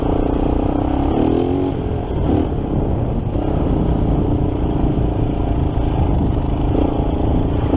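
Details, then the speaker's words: 1987 Kawasaki Mojave 250 water-cooled four-stroke after a carb job, idle not yet set: rough single-cylinder running with a loose clattery top-end rattle; owner hears the timing chain slapping and suspects a loose chain or self-tensioner. "pretty sure I do hear the timing chain smacking around a good bit yeah I definitely hear the timing change oh I get too rough on that timing chain is loose"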